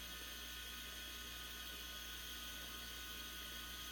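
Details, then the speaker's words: Silent Storm air compressor filling its tank, around 40 dB on a sound meter at its loudest on startup, about half as loud as the owner's other compressor: soft steady hum and airy hiss, no knocks or surges; running evenly. "Once it reaches its pressure and it's filling the tanks up on the fly, it's just about half as quiet."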